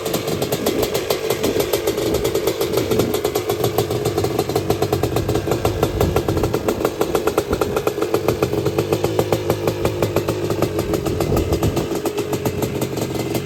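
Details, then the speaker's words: Honda TRX250R with a freshly finished Sparks Racing 265 two-stroke build: crisp, even firing that picks up cleanly on the throttle and settles back with no misses or rattles. The engine is healthy. "So we will transition to a clip of this bad boy running. We'll start it up and you can hear how it sounds."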